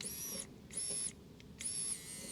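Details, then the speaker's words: Geo Tracker that won't start: the fuel pump, powered directly from a battery, gives a high, steady electric whir in short, even bursts each time power is applied. The pump works normally. "That's a fuel pump working beautifully."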